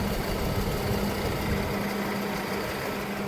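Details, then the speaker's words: Unidentified Dodge/Plymouth minivan from a 1990–1993 Caravan/Grand Voyager fleet, no oil leaks: steady idle with a low hum and faint drone; the radiator fan sounds rough but still spins. "Radiator fan kind of sounds a little on the on the not good side, but it's still spinning. It's doing its thing."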